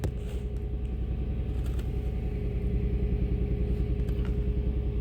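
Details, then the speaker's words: 2005 Toyota Tacoma, fully cold engine, customer complaint of very rough running: uneven lumpy idle pulse about three per second with steady hum, engine shaking visibly; scanner shows cylinder 1 misfire. "Y si pueden fijarse Miren el uno miren miren ahí está la falla ve el motor como está temblando para que puedan ver"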